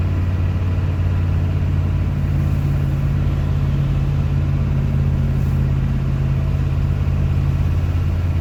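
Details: Free 1989 Ford F350 dually, 7.3 IDI non-turbo diesel, five-speed, straight piped after the blown-out rusted mufflers were cut off: loud, deep, even unmuffled rumble at steady idle with no knocks, a healthy diesel.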